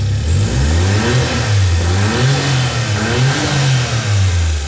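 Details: Nissan S15 Silvia turbo petrol engine with fresh oil, new filter and new engine mount, revved in neutral: revs rise and fall cleanly with no knocks or rattles, blow-off valve working. Owner suspects chain guide damage.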